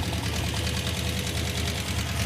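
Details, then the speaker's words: Hemi V8 in a Gremlin that has been running hot, listened to at the valve covers: loud, quick regular ticking over a rough idle that grows louder; collapsed hydraulic roller lifter or loose rocker arm suspected. "Well, the number one problem here is the valve train noise. It's really loud and I think it's a hydraulic roller lifter that's collapsed."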